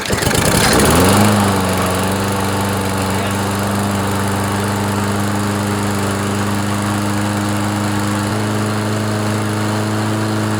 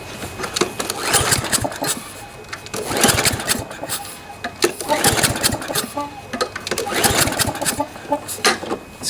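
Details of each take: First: Toro mower with Briggs & Stratton 7.25 163cc OHV engine, after head gasket replacement that cured a puffing sound: starts cleanly, steady even drone stepping up slightly midway, runs smoothly until shutdown; normal running. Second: Toro lawnmower with Briggs & Stratton 7.25 163cc OHV engine, spark plug cap off, pull-cord cranked without firing: a rasping puff at each slow turn, suspected blown head gasket though it runs perfectly.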